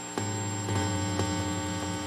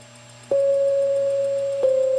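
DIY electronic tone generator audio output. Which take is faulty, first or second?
first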